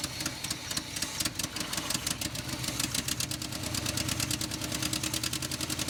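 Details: 1970 Chevrolet K10 4x4 pickup, scrapyard truck abandoned 26 years: uneven, lumpy idle with irregular popping beats and stumbling rhythm, like one cylinder dropping out; misfire suspected, not confirmed.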